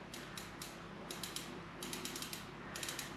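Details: Borrowed rear wheel during Planet X EC-130E road bike strip-down and rebuild: crisp, fast ratcheting ticks in short bursts as the wheel freewheels; an even, clean pawl click from a healthy freehub.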